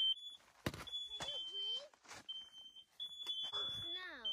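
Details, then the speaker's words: Hot tent smoke test with detectors at three heights: piercing high-pitched alarm in long repeated blasts with short gaps; bottom smoke detector now going off from smoke, unclear whether the carbon monoxide detectors are sounding. "i think the bottom one's going off now too can't tell if any of the carbon monoxide detectors are going off kind of sounds like it"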